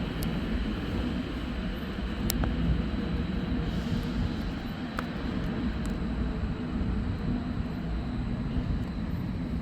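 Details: 2020 Toyota Avalon TRD after spark plug change, heard from the rear of the car: steady even low rumble, no misses, knocks or stumbles, idling smoothly; normal idle.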